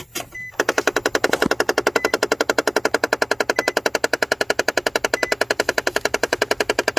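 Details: Nissan Frontier with the key on: rapid, even ratcheting clicks, about ten a second, from the HVAC fresh-air intake door actuator skipping at its end stop behind the cabin filter area.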